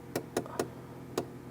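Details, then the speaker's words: Refrigerator defrost timer advanced: four light ticks, then one sharper big click as the timer enters defrost and the blower fan shuts off, so the defrost heater element can warm; defrost timer switching to defrost. "There you go. I just heard the big click, and I also just heard the blower shut off."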